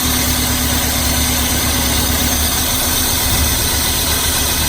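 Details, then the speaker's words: Car engine at idle during a cylinder power balance test with spark disconnected from one cylinder: uneven, lumpy beat over a steady drone as that cylinder stops firing; rough idle from single-cylinder misfire. "So what we're going to do is disconnect our spark from a cylinder and listen and see if there's any change in how the vehicle sounds."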